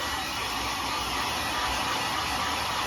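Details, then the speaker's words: Pro 3000 hair dryer, 220V 1200–1400W, after repair: it had rattled and knocked when handled following a drop. It was reopened, then the hanging clip and last screw were refitted. Now steady airflow rush and constant motor hum, no scraping or rattle when tilted; normal running. "Vamos ligar agora. Beleza, aí já não tá fazendo mais, né?"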